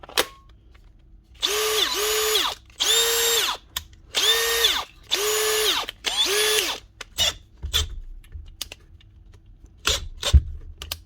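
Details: Cordless drill after swapping the bad gearbox for a complete replacement gearbox unit on the good motor: several clean bursts of high motor whine, each holding a steady pitch, with no grinding or skipping; normal drill operation.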